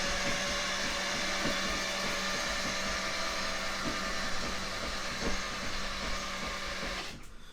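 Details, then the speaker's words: 1976 RA23 Toyota Celica barn find, engine rebuilt about 5-10,000 km before sitting for years, first crank attempt: a high, steady whirring spin with no cranking rhythm, then it stops; the starter is not fully engaging the flywheel. "And we're just going to crank this over and see how we go with it. Oop. Okay, so it's not engaging all the way."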